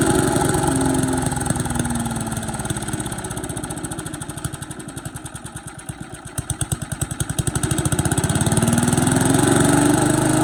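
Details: Boland's 3.5 chipper shredder, unused for at least 20 years, running on its own gas tank without starting fluid, fuel line dripping slightly: single runs on its own, dips to a slow, distinct firing beat midway, then picks back up to a steady run; normal.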